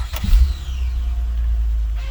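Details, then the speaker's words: 2004–2008 Acura TL Type S V6, first start after knock sensor, knock sensor wire and intake plenum gasket replacement: quick crank, catches and settles into smooth, low, even idle, no vacuum hiss or ticking, no fuel leaks; normal start. "Good, no fuel leaking. I don't see anything there. That's nice. Also want to listen for any vacuum leaks. That'll tell you whether or not you put everything back together as well."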